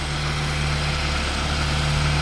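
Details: Warm Mitsubishi E-Car engine after an idle fix and valve adjustment: a steady, even low idle hum with no dips, stumbles or surging, now idling smoothly.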